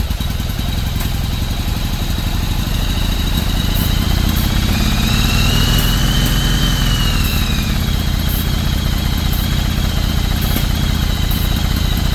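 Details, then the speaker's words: 1995 Yamaha Virago 1100 V-twin, first start after about 12 years sitting, carbs cleaned: steady, even low thrum with a slight rise in revs midway, no knocks or misses; running normally. "Well, guys, it runs, huh? First start in 13 years."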